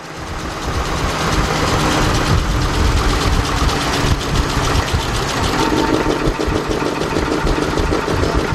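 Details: 2006 GMC Envoy XL Denali 5.3 V8 running in gear: deep, uneven knock about three a second under a rough-sounding engine, caused by loose flexplate-to-torque-converter bolts.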